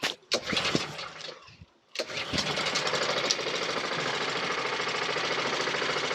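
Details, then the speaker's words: Briggs & Stratton 450E mower during full service (had started then cut out after seconds), restarted after HT lead refitted: catches after a couple of pulls, even quiet putter, no misses, idle a touch slow, needs speeding up. "the engine sounds lovely well it's nice and quite engine it needs a bit of a speed up"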